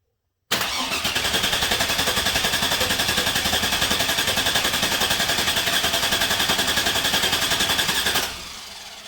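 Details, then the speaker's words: 2002 Chevrolet Silverado 1500 5.3L with a P0300 misfire, cranking without starting for a relative compression test: even beats with one lighter. Intermittent low compression on cylinder 2 from an exhaust valve not sealing. "so for some reason we got intermittent low compression on cylinder two so that definitely explains the misfire"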